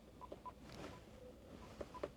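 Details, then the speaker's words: Vero Bluetooth speaker-microphone after the radio auto-reconnected to it: a few short, quiet, crisp, evenly pitched beeps, normal confirmation tones. "very quiet beeps, but they're proper beeps."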